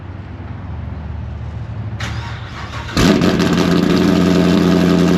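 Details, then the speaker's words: Modified V8 in a full bolt-on NA build with a blower-spec camshaft, freshly tuned, in a shop at about 70°F: starter whirs, then a sharp bang and a loud, lumpy, fast cold idle with heavy rumble; a normal cold start. "If anybody has been around like one of the newer Coyotes or newer LT motors, when they're modified or they have aftermarket exhaust on them, these suckers will hit you right in the chest when you first fire them up when they're cold in the morning."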